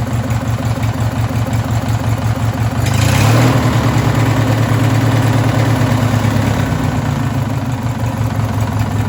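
Small engine idling roughly with a deep, uneven knock, briefly blipped around three seconds, pointing to a possible rod knock.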